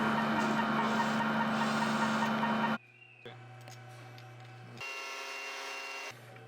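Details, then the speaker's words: Hydraulic pump on a test stand after a service rotation change, at 900 rpm full flow: loud steady rattle and hum with abrupt quieter drops, persisting after the control was swapped; cause was a galled, defective rocker cam, which was replaced. "While doing a service rotation change we put this pump on the test stand and heard a strange noise. That rattling shouldn't be there let's see what the problem could be."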